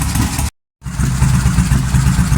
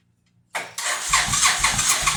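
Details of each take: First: 2005 Suzuki Boulevard S83 V-twin motorcycle, sat about 4 years, after carburetor cleaning (rusty gas tank): after a brief cutout, a steady, even low potato-potato thump at idle; sounds good, normal idle. Hydraulic clutch faulty. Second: 2005 Suzuki Boulevard S83, sat four or more years, weak battery, choke on, leaking fuel line: short crank, then the engine catches with ragged uneven pulses about four a second; a rough, struggling start.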